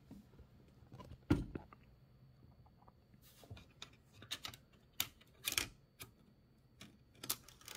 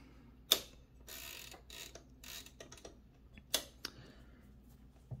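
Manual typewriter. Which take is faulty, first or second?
first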